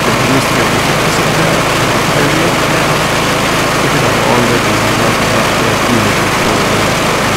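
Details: Kohler Courage single-cylinder ride-on mower engine after about 200 hours, valves just re-adjusted (were 0.008 in intake, 0.011 in exhaust vs 0.005/0.007 spec), running briefly with cooling cover off: steady, even idle with no misses, knocks or tapping; normal idle.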